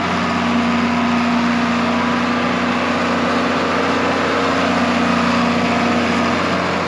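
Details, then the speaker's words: John Deere 4430 tractor diesel, first run in 22 years, engine apparently rebuilt or remanufactured: steady, even idle with a smooth low rumble, no knocks or misses; normal idle. "mean that's a really good sound in 4430"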